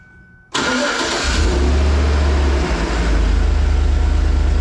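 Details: 2012 Chevy Tahoe LS 4WD after replacing the idler and tensioner pulleys for a pulley noise at startup and idle: starter catches quickly, engine settles into a steady, even idle with no squeal, chirp or belt rattle; normal start and idle.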